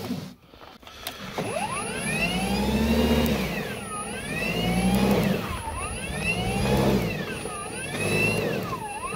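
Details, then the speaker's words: Ryobi battery snow blower on a fully charged battery in light snow on a very cold, dry day. The motor whine sags and recovers every couple of seconds; static discharge in the handle stalls it under light load. "we have a fully charged battery and a little bit of snow it does this thing where it seems to slow down when it hits any amount of snow at all"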